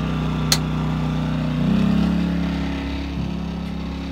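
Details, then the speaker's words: Champion generator on a boat rig in economy mode, powering LED bowfishing lights: smooth even hum rising slightly as load comes on, then steady; quiet, healthy running under light load. "So that's with your bow fishing lights going. That's what you get out of your generator, which is not a whole lot of racket compared to most."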